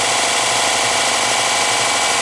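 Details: Porter Cable belt sander that had a slipping belt, after a locking washer was added under the tracking adjuster so the belt stays centered on the drum. An even, high-pitched whirr with no slapping or slipping. Normal running.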